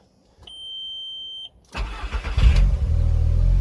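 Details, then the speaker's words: 2000 VW Golf Mk4 GTI 1.8T AGU, right after replacing the failed ignition amplifier (ignition control module on the airbox): a chime, a short crank, then a clean catch into a smooth, even idle with no stumble; the misfire is fixed. "Oh. Yeah, seems to have sorted it. Wicked. That's a proper result. So that was it. Ignition amplifier."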